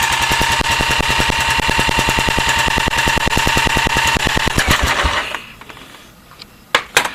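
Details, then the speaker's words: 1984 Honda 200S with weak, inconsistent spark, timing checked, choke on, no throttle: fast even chuffing while spinning over about ten times a second, never catches, then winds down; won't start even on ether, intake valve suspected. "So once again, if you're spinning that fast and you're not going to start, you're not going to start."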